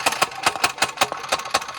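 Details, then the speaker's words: Mini bike engine: sharp metallic ticks at about four to five per second over thin running; something loosened or broke inside, source not pinned down. "Tip It My Way it doesn't sound good but ready we might be able to get it to at least run yeah think we should definitely something's loosened there some broke"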